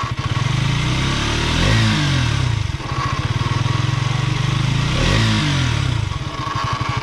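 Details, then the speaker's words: Brand-new KTM, about 25 days old: throttle blipped twice, a mechanical clatter under the exhaust returns as revs fall; cause uncertain, no guarantee. Abnormal engine noise when revving. "है तो total छोड़ देने बाद यह जो side को फिर से स्टार्ट हो जाए तो भाई यह कैसा प्रॉब्लम है मुझे समझ में नहीं आ रहा है"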